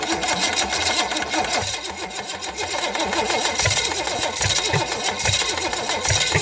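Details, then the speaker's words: $50 Chevy 305 small-block V8, unknown history, float bowl just filled, being cranked: rough, rapid whirring with a low uneven pulse but never catches; likely just the starter turning, no start, cause unknown. "not sounding promising you know that's just the starter making that noise i think okay"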